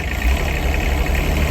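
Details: Diesel machine idling just after battery reconnection and first start following repair work: steady low rumble with a thin, constant high squeak over it, a drive belt squealing, likely slipping.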